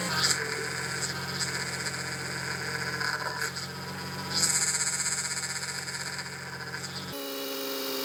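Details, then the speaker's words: Audi B5 S4 at idle just after replacing the old aftermarket power steering pump with a known good OEM unit: a thin steady whine over the engine hum, much quieter than before, from air still trapped that is expected to bleed out. "okay well still making a little bit of noise but we might have to just give it some time to uh bleed out [Music] fully D has gotten significantly quieter um again I think it's just going to take a little bit more time and I bet that noise goes away completely"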